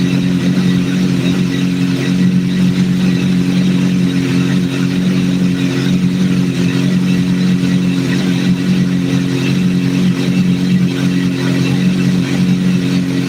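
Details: Idle captured during a vacuum sync, after adjusting number 3 until it is as good as it's going to get: smooth, steady idle with an even low hum and no hunting, bogging or misfire; it sounds well balanced.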